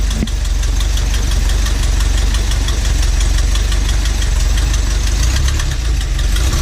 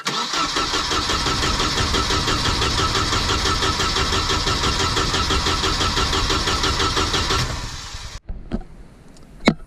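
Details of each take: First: Volvo Penta AQ151c marine engine, first run in over 10 years, tank likely empty: loud, deep, even idle with steady unchanging beat, no misses; smooth, healthy normal idle. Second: Volvo Penta AQ151c dual-carb marine engine, first start in over 10 years, spark confirmed but tank possibly empty: steady cranking about two beats per second for eight seconds, never catches; crank no start, owner suspects no fuel.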